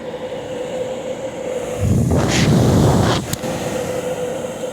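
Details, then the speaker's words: De'Longhi Pinguino portable air conditioner PAC AN370G1W on full blast, near the rear blowing hot air: steady mid-pitched hum throughout with a brief rush of airflow; running normally. "That's kicking up some hot air on the back. Look at all that."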